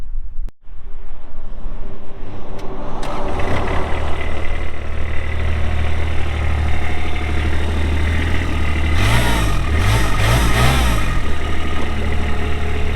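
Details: 2023 Kubota RTV-X1100C diesel utility vehicle, 1,499 hours, 3,330 miles; cranks once, catches quickly and settles into a steady, even low diesel clatter at idle with no knocks; healthy engine.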